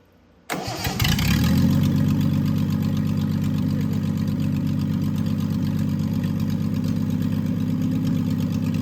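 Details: Triumph TR6 engine after full rebuild, head shaved 60 thou for about 8.4–8.5:1 compression, after oil and fuel priming and distributor timing: catches quickly after a brief crank, flares, then settles into a steady, even idle with no knocks; healthy start.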